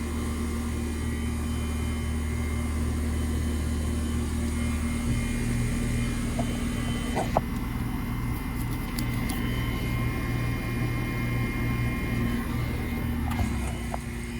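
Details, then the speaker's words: Old Goodman AC outdoor unit, no-cooling call: low steady compressor hum with rough growl and no fan whoosh, compressor getting hot quickly; hoped to be just a capacitor not the motor; condenser fan not running. "And it is getting warm. So I'm actually going to hope it is just a cap and not the motor."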